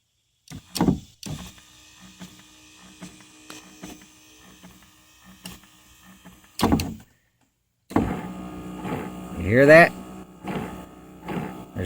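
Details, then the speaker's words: Oldsmobile Alero driver's side power window motor, window not going fully up or down for about three months: short uneven whirring runs with a rough straining note; a fault inside the worm drive gearbox is suspected, not confirmed. "something messed up in this worm drive right here"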